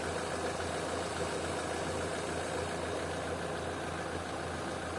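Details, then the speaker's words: Opel/Vauxhall engine that sometimes idles at 2000–3000 rpm, now idling around 800 rpm while the intake is sprayed with water: even idle, no hiss or speed change; no vacuum leak, throttle body or idle air control valve next suspected. "no nothing well these Rivers without that it's not a vacuum problem"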